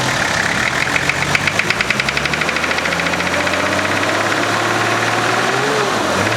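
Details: Nissan GQ Patrol diesel at idle: hard, rapid, evenly spaced clatter, loudest early then easing, a classic injector knock.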